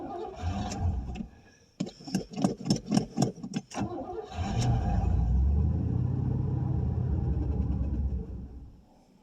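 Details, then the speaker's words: 1989 Pontiac Safari wagon, first start after 18 years, gauge near a quarter tank: quick cranking puffs then a low, uneven, sagging run; lacking fuel badly, suspected nearly out of gas, gummy carburetor, plugged main jets or stale fuel. "it kind of kind of will run. Now I say that. Yeah, she's just lacking fuel really bad."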